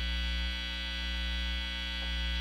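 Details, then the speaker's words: Vox AC30 amp build, mains hum on the bottom pot: really loud noise, and touching the pot induces much more hum; volume turned down makes it disappear, so hum is induced somewhere at that stage; source not yet confirmed, resoldering pots suspected. "also the worst one though is that bottom one watch this really loud noise and touching that induces quite a bit more hump"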